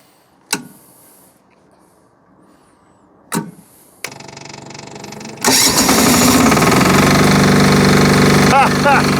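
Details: Army MEP-831A 3 kW generator, 16-year-old single-cylinder Yanmar L70 296cc diesel, first test with new governor controller: a couple of clicks, then it catches and settles into a steady, even no-load idle; normal.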